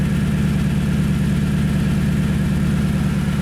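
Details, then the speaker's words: 2010 Toyota Tundra 5.7L V8 with new Flowmaster 717786 FlowFX exhaust, idling with the microphone close to the tailpipe: deep, steady rumbling burble, even firing with no misses or ticks; normal healthy idle. "We'll get real close here. And that's kind of what I'm looking for, just a deep rumble."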